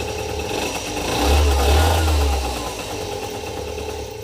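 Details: 2007 Speedfight 50cc two-stroke moped with a nearly new Viper exhaust, after the silencer wadding was rewrapped and the exhaust plug refitted properly: idles, then briefly revs with a deep, muffled note that settles back; much quieter than before.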